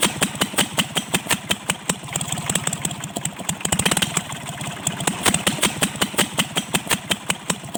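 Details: Kubota L1-255 diesel, idle: heavy, fairly regular knocks about two to three a second over a rough idle, with white smoke; cylinder head fault, repair: replacing the cylinder head.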